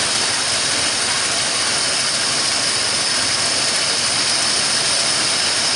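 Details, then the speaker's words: 1974 Ford F100 rebuilt engine at idle, idle raised slightly. A steady sharp hiss sits over a quiet, even idle; owner hears a vacuum leak and suspects the carburetor, not confirmed. "so now we'll see if it's blinking i can hear a vacuum leak and i think of the carburetor"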